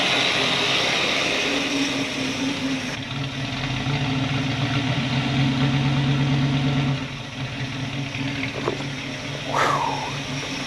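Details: 1964 Buick Electra 225 V8, 38,000 original miles, rebuilt after an engine fire: steady, even, quiet idle with a low smooth beat, no knocks or misses; normal idle.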